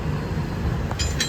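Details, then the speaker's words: Maruti Alto front drive axle noise: low driving rumble with two or three sharp metallic clicks while rolling on test drive after replacing the worn axle; the replacement axle is still faulty and clicks, so another axle is being fitted. "ഞങ്ങൾ സ്ഥാപിച്ച ആക്സിലിൽ നിന്ന് ഇപ്പോഴും ശബ്ദം വരുന്നുണ്ടായിരുന്നു. അപ്പോൾ, ഞങ്ങൾ ആ ആക്‌സിലും മാറ്റിസ്ഥാപിക്കുകയാണ്; ആ പയ്യൻ വേറെ ഒരെണ്ണം ഉണ്ടെന്നും അത് നമുക്ക് തരാമെന്നും പറഞ്ഞു."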